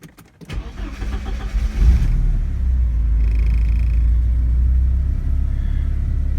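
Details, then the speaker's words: 1986 Porsche 944 NA, cold engine, after replacing the faulty DME temperature sensor under the J boot (it read far out of range and caused a very lean condition): short crank, catches within two seconds and settles into a smooth, steady idle; normal cold start. "What I ended up doing is I replaced the DME temp sensor, which is located right under the J boot, and now this is how it starts. This engine is cold too."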